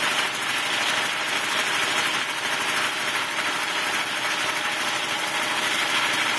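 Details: Quincy air compressor running under load after a blown 30 A fuse was replaced, pressure building past 140 psi toward 165 psi cut-out: even, rapid pumping chatter with a bright hiss at constant pace; healthy running, belts may need tightening.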